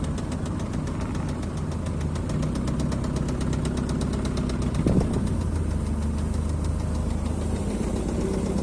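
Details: Engine knock on a Honda: sharp, quick metallic ticking rides steadily over a rough idle with an even rhythm, a clear knock from inside the engine.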